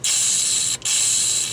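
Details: 2005 Ford 6.0 Powerstroke no-start, shop air fed into the high-pressure injection oil system to air check the STC fitting at the high-pressure oil pump: loud, steady, high-pitched hiss of escaping air showing the fitting leaks.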